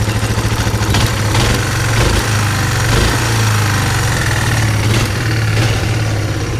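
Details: Kawasaki KLF300 Bayou quad from a scrap yard, first day running after a new spark plug and fuel poured into the cylinder: single cylinder idles on its own with a steady, even thump, no misses or knocks.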